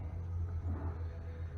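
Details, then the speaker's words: In-framed Cummins ISX diesel at idle, no check engine light: deep rumble with an uneven, lumpy beat; rough idle. Owner suspects actuators, an oil-filled fuel pump relay, cam sensor and wiring, and is replacing them; oil pressure sensor intermittently faulty. "The problem is it's not idling good. It's got a rough idle. No check engine light."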